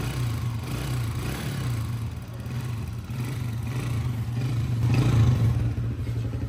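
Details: Honda CG 125, 2011 model, after top overhaul for noise and smoke, oil pump checked and silencer washed: steady idle beat about four per second, still some light top-end clatter but running even; normal idle.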